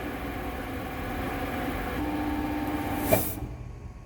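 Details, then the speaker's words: MetalMaster TM-26120G centre lathe, during service with V-belts off so spindle not turning, motor started then stopped via foot brake and limit switch: steady hum with faint whine, brief scuff and quick fade; normal lathe motor braking. "E hoʻomaka wale ana au i ka lath a kau i nā kaʻa e hōʻike iā ʻoe i ka hoʻololi palena a me ka hana ʻana o ke kāmaʻa wāwae i ka manawa like me ka hoʻolohi ʻana i ke kaʻa"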